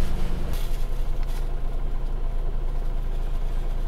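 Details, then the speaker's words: 2007 Toyota Avensis 2.0 petrol automatic FWD, 225,000 km, idle after throttle body cleaning and relearn; steady idle around 800–830 rpm, smooth after brief dip, no misses or knocks. Normal idle. "Она и сама стабилизируется но тем не менее обороты стабильны не плавают не скачат тахометр стоит на месте"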